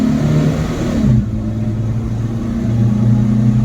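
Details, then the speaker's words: Volvo 244 nearly at running temperature, floored from 40 km/h after ignition timing was corrected: pulls hard with a deep, even note climbing steadily with speed. Much better; the whooshing sound remains but is different. "that's much better in my opinion and the wishing sound is still there but it's different"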